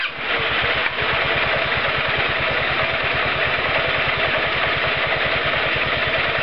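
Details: Roketa MC-54-250B scooter, 1730 miles, stalling at every stop: revving single pulses fast and even but with a rough, uneven edge; intake and exhaust valves had no gap at TDC, fixed by adjusting valve lash.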